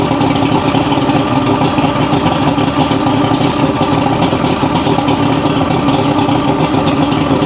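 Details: 1980s Mercury 150 HP Black Max two-stroke V6 outboard under repair, fuel pump suspected of bleeding into the block: a steady, even drone with no misses, surges or pops over several seconds. Now running smoothly.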